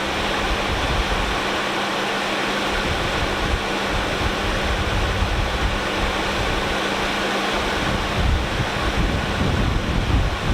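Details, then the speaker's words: 1996 Lexus LS400 engine started and idling: a quiet, even idle with a steady low hum under heavy wind noise, no knocks or misses; the engine runs perfectly fine with no problems. "And the car runs perfectly fine. Everything runs as it should, and it sounds great."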